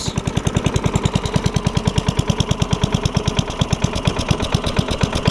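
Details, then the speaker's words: Craftsman self-propelled mower with Tecumseh Eager 1 single-cylinder engine, after a carb and gas tank swap: steady low thumping with sharp pops, never reaching governed speed. It picks up with manual throttle; owner suspects something was hooked up backwards. "when i ever get when i give it the throttle manually like that it'll pick up so i"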